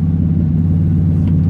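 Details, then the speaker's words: Glass-pack muffler replaced about a year ago, its fiberglass packing deteriorated: a heavy low exhaust rumble with an uneven, pulsing flutter or stumble, which the owner puts down to back pressure. Exhaust flutter. "sounds like it's fluttering it or stumbling that's a back pressure of it"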